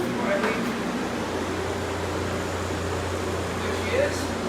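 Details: 1986 Freedom Quiet Master 19,000 BTU air conditioner started on medium cool: steady low hum with even fan rush, no rattles, knocks or squeals; running smoothly, normal.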